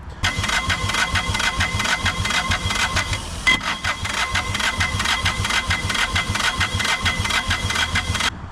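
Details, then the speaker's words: 2008 Bobcat S70 with 3-cylinder Kubota diesel, non-running; cranking with lopsided uneven beat about two per second and hissing blow-by; owner suspects cylinder three is down, with no inlet suction and excessive blow-by. "we've got no suction on the inlet and we've got really excessive Blow by and you can hear it when you crank it as"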